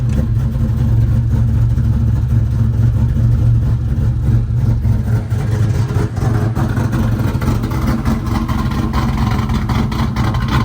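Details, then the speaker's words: Ford Mustang "Turdzilla", 3V engine swap project with AEM wideband wired in, started up: deep, loud, steady V8 rumble with a choppy cam lope, even throughout, no knocks or misses; runs well. "So yeah, let's just start the old girl up. Runs"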